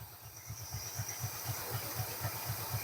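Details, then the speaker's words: 1969 Ford F250 Ranger Camper Special V8, long abandoned and just revived, during ignition timing adjustment: low, lumpy idle pulsing about four times a second, slightly uneven; runs a tiny bit rough, timing thought to need advancing. "runs a tiny bit rough"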